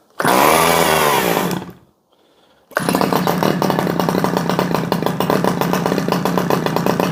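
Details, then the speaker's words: Stihl 011AV chainsaw after sitting a long time and dumping thick old fuel: it revs, then settles into a loose, slightly uneven burble; it sounds like it's running rich and needs a carb adjustment with a screwdriver. "come on she's oiling sounds like she's running a little bit Rich"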